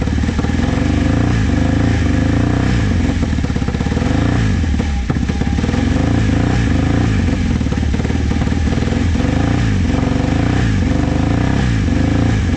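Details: Vintage motorcycle from a trailer batch, started with starting fluid. It stays alive only on throttle, with revs surging and sagging and never reaching a steady idle. Owner says the carbs need cleaning, pointing to the idle jets.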